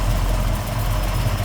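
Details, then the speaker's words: 1969 Chevelle 383 V8 with a fairly aggressive camshaft and a new FST Billet X-treme carb, idle dropped to about 800 rpm: a deep, uneven, lumpy idle, the normal lope of the big cam. "okay so we're adding about 30 no there's a fairly aggressive camshaft on a 383 and idling right now at about 800 rpm"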